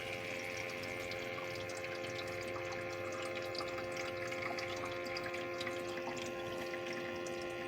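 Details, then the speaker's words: ecozy countertop nugget ice maker set to small cubes: a soft, steady pump hum with a light trickle of water as it fills the ice trays. This is normal water filling. "You'll hear it fill up the water, the little ice trays."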